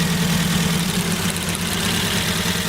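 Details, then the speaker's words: Ford Focus with a misfire: pulling individual ignition leads at idle shows changes in engine tone. With one lead off it runs rough and lumpy on the remaining cylinders; the faulty cylinder's ignition lead was the cause. "We've got a Misfire now, piston on one cylinder. If we take one of these off, we can hear a difference."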